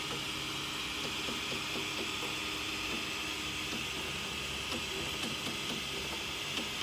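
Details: M3D Promega 3D printer extruder motor: steady high motor hum with irregular faint clicks about every second as the motor fails to push filament into the hot end, causing under-extrusion; clicking stops when the extruder is pushed.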